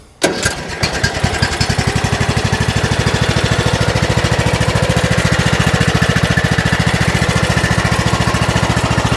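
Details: Troy-Bilt Pony riding mower after electrical no-start fix and steering repair: brief crank, then the small single fires and settles into a steady even chug about 3–4 beats per second; runs healthy.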